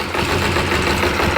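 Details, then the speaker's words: Kawasaki ZZR250 with choke on, after new clutch basket bushes made to cure low-revs clutch basket knock: steady, even tick over with smooth patter and no knocking; normal idle, clutch now tight, possibly from bigger springs. "Listen to that. Normally that tick over it would be knocking. Perfect. So I'm happy with that."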